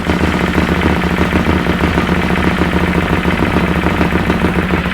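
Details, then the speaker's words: Bennche Spire 800 two-cylinder UTV after a full engine rebuild, first startup, warming up at about 1500 rpm idle: a steady, even two-cylinder idle with a quick regular pulse and no misses or knocks. Running cleanly on both cylinders. "Like I said, we have coolant, we have oil in it, and it sounds like it's running on both cylinders, so that's a positive."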